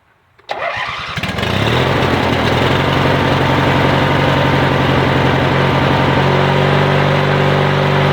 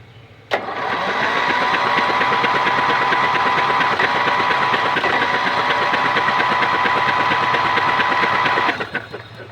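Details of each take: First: Yard Machines/MTD lawn tractor, 20.5HP Briggs & Stratton twin, after new starter, solenoid and battery: cranks briefly, catches at once and settles to a steady, even idle with no knocks or stumbles; no-start fixed. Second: Yard Machines/MTD lawn tractor, 20.5HP Briggs & Stratton twin, spark plugs removed, starter powered from a car battery: fast, even whirring crank about three turns a second with no labouring; the engine spins freely without compression.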